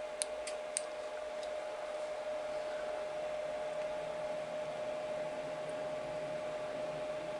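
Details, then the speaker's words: Chinese diesel heater after glow plug replacement, switched on with glow plug constantly on: fan spins up with a few clicks, then even airy rush and steady thin whine; normal fan running. "yeah so we've got a full glow plug constantly on there now the fans started running that's perfectly normal"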